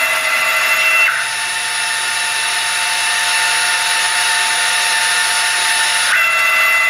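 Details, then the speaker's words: Chinese 6040 CNC with stock transmission, retrofitted with a G540 motion controller, axes traversing: clean, steady high-pitched stepper singing with no stutter, clunk or grind; smooth, healthy operation. "dear house excuse me can hear how smooth is motor sound I mean the transmission on this machine is stocked"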